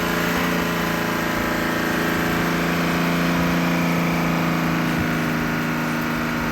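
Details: 1956 Graymarine 100HP Continental F226 marine engine after rebuild repair: no oil pressure traced to misinstalled #3 cam bearing, driven into correct position; carburetor cleaned for idle. Steady, even mid-pitched drone at constant speed, no knocks or misses; runs healthy.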